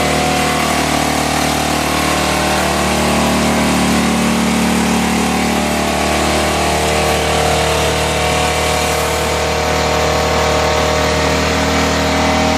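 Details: 2008 Baotian Tanco 50cc four-stroke scooter, running after a start that can take 12 minutes: steady, slightly uneven idle buzz; engine runs after hard starting, cause unknown.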